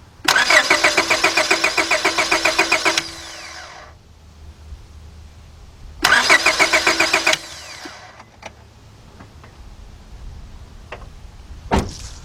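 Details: 2002 Honda Accord 2.3, lost power while driving and shut down; two bursts of steady starter cranking, about five compression beats a second, never fires; fuel pump not heard, spark and fuel untested; cranks, won't start.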